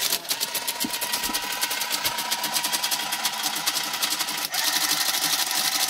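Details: TIM8 relay computer running a hello world program, printing to a parallel-port Fenix TK41 paper tape printer: fast, steady relay clicks, roughly seven a second, with a faint printer hum. Print-pulse switch bounce has been fixed; operation is normal.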